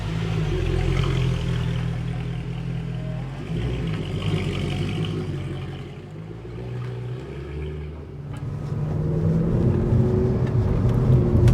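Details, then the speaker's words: 2012 Mercedes-Benz C63 AMG (W204, M156 V8), warm after a hard drive, after a DIY power-steering reservoir replacement (the internal filter clogs) and fluid flush. The previous whirring, whiny power-steering noise seems to be gone. Only engine rumble with throttle is heard; power steering is normal. "Right, so I just got back from the drive and I put the car through its paces to make sure the fluid has certainly got to temperature and everything, and as you can hear, I think that whirring noise has thankfully disappeared."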